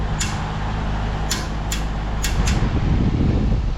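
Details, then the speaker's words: 1959 Westinghouse AM 17-2 pedestal fan, 64 years of heavy kitchen use, worn motor working on one speed only: sharp irregular ticks about once a second over steady motor hum; blade seems to hit the grille, perhaps not fully seated on shaft. "Sounds like the fan blade hits the grill a little bit here and there now and then, like"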